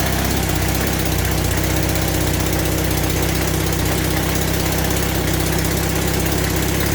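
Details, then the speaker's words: Temporary motorcycle engine at first startup after single-handed swap, idling roughly with sharp puffing exhaust note; exhaust leak at the front pipe, also felt not smooth with some vibration. "Okay, running, but not well. Definitely got an exhaust leak from here. I can hear that exhaust."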